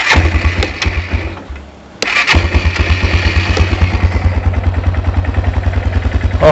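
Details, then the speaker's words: Baja WD250U or Kawasaki Bayou 220 ATV with a bad-gas carburetor, started on jumper cables: it catches, stumbles briefly, then settles into a steady, quick, even thumping idle; it runs fine. "boy oh baby remove my plugs listen to that puppy purr"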